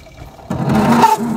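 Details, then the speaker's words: Chevy square body truck parked 19 years, points ignition, first crank with the heater blower running: the starter churns unevenly with a ragged, lumpy rhythm and no catch; rough cranking, cause not yet clear. "that sounds terrible"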